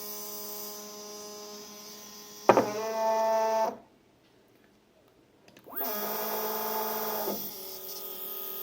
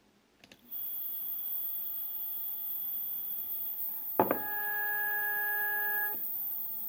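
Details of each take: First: Two Z-axis stepper motors wired in parallel to one driver, at 4 A peak (2 A each) and feed rate 1000, after an earlier crash at too low a current. Two bursts of loud buzzing hum: one motor stalls, the other vibrates. Cause not found. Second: Second Z-axis stepper running alone on a Duet board, to show it is not broken, stock settings of feed rate 1000, 2 A, acceleration 120: clean steady tones with a higher whine stepping in, no grinding. Sounds normal.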